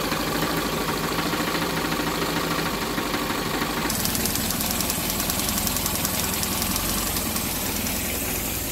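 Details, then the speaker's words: Hyundai Getz engine lacking power and misfiring, with passing compression of 120–130 psi: a rough, stumbling idle with irregular knocking clatter. A loose timing sprocket throws off injection and spark timing; it was fixed by welding. "Tapos pinakaano maingay ang makina agatak. Ganito yung tunog."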